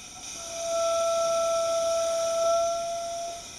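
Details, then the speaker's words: Coolant expansion tank radiator cap on a test rig with a pressure regulator and boost gauge: a clear steady whistle and airy hiss as the cap's relief valve vents at about 22 psi. "now we can hear a pretty big leak so that's a cap working normally in venting pressure at about 21 22 psi"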